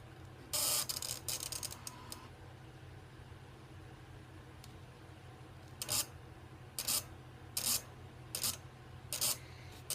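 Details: C5 Corvette 50th Anniversary with a parasitic battery drain and a flickering dome light: sharp, hissy clicking bursts roughly every second come from the fuse box, a relay chattering with no known cause.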